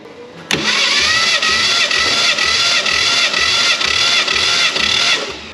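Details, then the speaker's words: 1967 Fastback Mustang recovered from a West Virginia holler, compression test on the other bank: even starter cranking with no weak strokes; cylinder came up to 120 psi. "120 heck yes"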